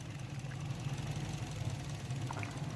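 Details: 2010 Toyota Corolla GLi petrol engine idling lumpy and uneven with a stumbling throb: cylinder three dead from a failed ignition coil, car lacks pickup.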